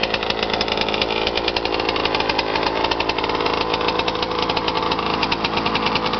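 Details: Suzuki RM125 two-stroke after full rebuild with new crank, crank bearings, rod, rod bearing, piston, cylinder wall and power valves: crisp buzzy note, quick even firing, no rattle or knock; fresh top and bottom end sound healthy.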